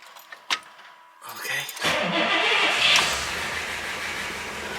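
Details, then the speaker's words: Pontiac 389 V8 after repairing an exhaust manifold leak at the downpipe with JB Weld ExtremeHeat paste cured 24 hours: it catches and settles into a steady, even run with no puffing at the manifold; the clock is running. "well do you not hear that yeah that's that's right I know that Motors don't record well that that that that's nice clock running I didn't even touch it the clock is running"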